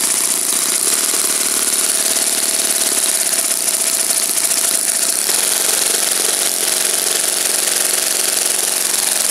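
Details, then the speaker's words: Saito FA-56 four-stroke model engine, first run after teardown, cleaning and bearing replacement, 12x6 prop, OS F plug, 5% fuel: crisp fast even buzz, steady pitch, no misses or rattles, slightly rich of peak; running cleanly. "I tore it down, cleaned it up, replaced the bearings. It's a looks like a relatively moderate time engine. As you can see, it runs like a champ."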